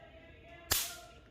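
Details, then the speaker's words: Cooler motor run capacitor test (cooler fitted with a 4 MFD capacitor; 2.5 MFD also tested): after charging from mains power, its leads are shorted. One sharp loud crack and a strong spark show the capacitor holds charge and is good. "आप देखते हैं इसमें कितनी बड़ी आवाज़ हुई।"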